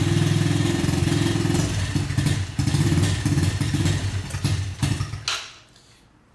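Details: TTR-90 dirt bike that sat a long time, possibly without fuel stabilizer, choke just turned off: small single thumps unevenly, then sags and dies within seconds; hard starting and poor idle from a clogged carburetor pilot jet.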